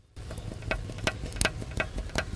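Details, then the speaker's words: Engine during top overhaul after running low on coolant (overheating not shown on gauge), microphone removed: sharp irregular metallic ticks two or three per second over quiet idle; excessive piston-to-liner clearance, rusted liners; piston slap. "Kasi mga kapatid, napaka-ingay na po ng kanyang mga piston."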